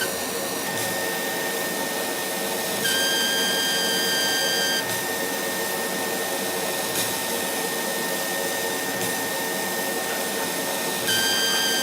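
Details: Laser cutter, after about six months of use, whistles at the nozzle during cutting; the beam itself, not air. A thin high whistle switches on and off with the cuts over hiss and fan noise; current rose 12 to 13 mA here, earlier squeals dropped it and caused incomplete cuts.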